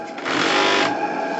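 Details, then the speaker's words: Live-steam model gas regulator, worn membrane replaced by a doubled new membrane, set to 1.2 bar: steady high buzz that swells then settles as the membrane oscillates at regulation pressure; cause unexplained. "vous allez entendre un phénomène extrêmement étonnant que je n'explique pas"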